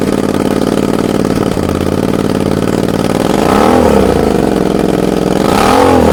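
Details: Suzuki SV650 V-twin, just fitted with new exhaust after oil-leak repair, bike on its side, burning off leaked oil: uneven stumbling beat at idle and throttle blips, skipped pulses; misfire, owner plans to replace spark plugs and coils.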